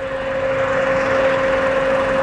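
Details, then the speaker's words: 2016 Suzuki Karimun Wagon R GS, 1000cc, engine hot at idle: the electric radiator fan switches on automatically, giving a steady even whoosh and mid-pitched hum over a smooth idle, and turns off once cooled; normal fan operation. "itu ada suara apa namanya electric fan nya ketika Hai mesin ini Sudah Hai panas maka dia otomatis akan electric fan nya akan berputar secara otomatis"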